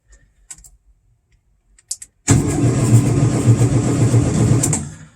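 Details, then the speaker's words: 1972 VW Super Beetle sitting five years, first try after ignition and headlight wiring work with no power found: quiet clicks, then a loud churning crank for about 2.5 s at roughly four pulses a second before cutting off; starter turns engine over, no burnt-wire smell. "I wasn't expecting to turn the engine over either but there's no smelling of burnt wires nothing and now we know that we got cranked"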